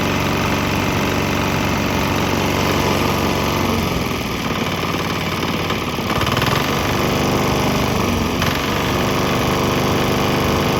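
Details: Swan X 165F Chinese single-cylinder diesel on a 50% used motor oil / 50% diesel mix; steady chug about three and a half firings per second, no misses or knocks. Earlier bucking and stumbling cleared after it transitioned to the mix.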